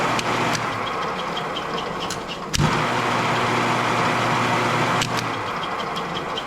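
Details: Copper King wire stripper after repair: steady low electric motor hum with a few sharp clicks, running smoothly again.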